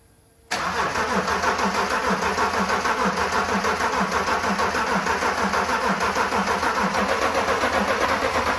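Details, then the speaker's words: Land Rover Defender 90 with swapped BMW X5 diesel engine: long, even starter cranking about three beats a second with no clear catch; cranks but won't start, cause not confirmed. "So guys, it's the next morning and we've got a big problem. The car doesn't run whatsoever. I must have 2 hours of footage of us just cranking it over and over and over."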